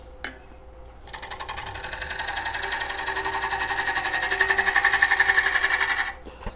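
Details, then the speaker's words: Woodturning a dried, twice-turned green wood bowl on the exterior: steady pulsing chatter about four beats a second as the tool hits high and low spots on the out-of-round bowl, to be smoothed out. "when you hear that clicking or that wobbling that means there's a high spot and low spot and we're just gonna go ahead and smooth that out right now"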